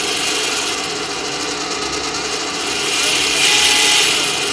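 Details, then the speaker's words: Stark IMT 200 Profi MIG/TIG/MMA inverter welder under repair, in MIG mode with trigger contact closed and voltage present: steady even hiss with faint high whir, no stutter or grinding; wire feed motor running normally. "напруга єсть движок Працює"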